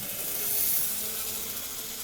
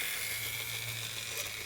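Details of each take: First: i think we got rid of the squeal which is nice um i've not fully run this yet so i think that's the next thing Second: Graham Farish N-gauge Class 50 locomotive, Poole-type chassis: a thin, steady high-pitched squeal over a low motor hum from drive shaft chatter; the owner also knows two axles need new gears.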